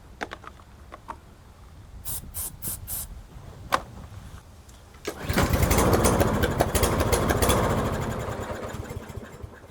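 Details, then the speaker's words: Newer Toro mower with Briggs engine, full tank, customer says no start: won't start, then on carb spray clicks and runs roughly, sags and dies within seconds; not drawing fuel, water in fuel suspected. "Okay, so it started albeit quite pitifully but it did start."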